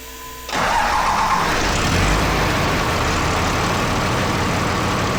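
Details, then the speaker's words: Truck's first start after extensive work, including refitting an AC line that meant unbolting a component: starter crank catches cleanly into a steady, even idle with no knocks, misses or stumbles; normal start and idle. "Weird. Sounds good though, eh dudes? Nice! Oh, decent."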